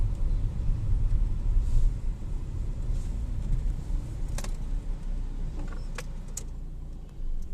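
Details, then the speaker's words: Ford EcoSport after repair of engine-bay vibration noise, heard at start/stop and when pulling away despite new A, B and C mounts; loose intercooler secured, duplicate lower bush swapped for genuine: quiet steady idle, only light clicks, no rattle. "नहीं गया नहीं है problem solve है"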